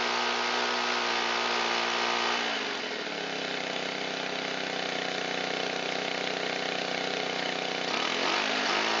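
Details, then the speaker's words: Shindaiwa EB254 Hybrid4 4-stroke handheld blower, long-sitting, running on fresh mixed fuel with choke and throttle locked: steady hum sags briefly then climbs but won't reach full throttle; stiff carburetor diaphragm and pump parts suspected. "I'm sure the carburetor has some pretty stiff diaphragm and pump parts inside it, which is why it won't come up to full throttle."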